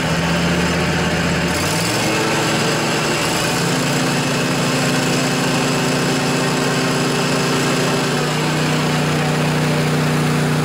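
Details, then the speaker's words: John Deere LA145 riding mower, 48-inch deck, Briggs & Stratton twin Intek engine, after replacing noisy deck bearings: engine steps up and holds steady with blades engaged, including low rpm, with no grinding or rumble; deck now normal. "well I think that was a quite a bit quieter it's now I don't really hear any abnormal noises so I think we're good folks"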